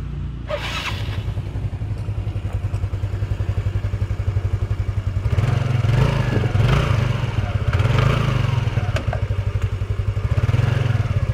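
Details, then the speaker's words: Yamaha Mio scooter that growled on pull-away, idling after CVT reassembly: steady single-cylinder thump with no belt grinding, now fairly smooth, though a pulley component still needs replacing. "Sudah lumayan halus. Memang keadaannya sebenarnya ada yang minta diganti komponen puli tadi."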